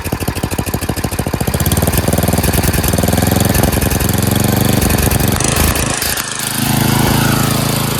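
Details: Craftsman 928 dual-stage snowblower, 9 hp Tecumseh engine, after carburetor cleaning (jets cleared) and a quarter-turn governor/idle adjustment for surging: winds up to full throttle and holds a steady, even beat with no rise and fall; steady full-throttle running, no surging.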